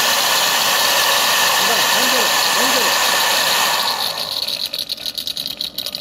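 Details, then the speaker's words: Holset turbocharger off a Cummins BS4 Tata truck, spun by hand on the bench: dry, scraping rush fading as the shaft slows; shaft has up-down play and the wheel runs crooked, suspected worn shaft bearings. "ये शाफ्टिंग out घूम रही है और खुर खुर की आवाज आ रही है"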